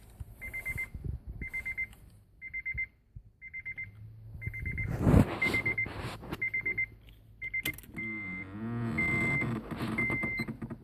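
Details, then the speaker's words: 2007 Acura RDX, lower driver-side dash, with engine and AC off, only power on: repeating high electronic chirps about two per second, continuous; dealer could not identify the cause. "Here's 2007 Acura RDX, and it is making this very odd noise coming from the lower dash on the driver's side."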